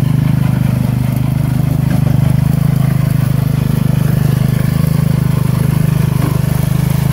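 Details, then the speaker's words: 1970 Sears Suburban garden tractor, 16hp Tecumseh OH160 single-cylinder, newly running after ignition repair: steady low idle thumping about three times a second with a loose knocking clunk; engine visibly moves, owner suspects worn rubber engine mounts. "thing got it running I one loose same yeah it sure seems loose sounds loose hear it clunking in there probably those rubber mounts are probably shot cuz I don't think it's supposed to move quite that much"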